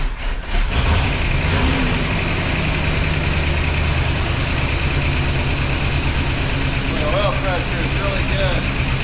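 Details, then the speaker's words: 1976 Pontiac Firebird Esprit 350 V8 first start after reseal, 60 psi oil pressure: deep steady idle, even rhythm, no knocks, ticks or misses; runs decent, though an EGR exhaust leak and Quadrajet accelerator pump leak were noted. "Okay, guys. It's running decent."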